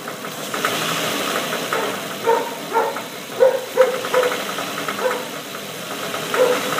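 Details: Nissan VQ35DE V6 with 73k miles, started by remote start and throttle blipped (drive by wire): sharp knock swelling in uneven bursts, coming from the #3 cylinder.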